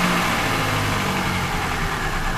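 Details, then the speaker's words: 2004 Vauxhall Corsa C small petrol four-cylinder after an engine swap, with the brake-servo vacuum hole at the rear of the inlet manifold plugged, idles smoothly and evenly with no hunting or stumbling; it is running better and normally. "Okay, I didn't catch it, so, but it's definitely running better, and I'll just fire it up and see what I mean."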